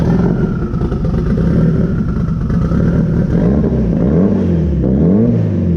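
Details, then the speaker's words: Off-road car after new A1000 fuel pump install, running E85, cold start after building fuel pressure; runs steady and strong with a few clean revs, no misfire or stumble; normal running. "so I'm gonna go ahead and build some fuel pressure and fire this thing up"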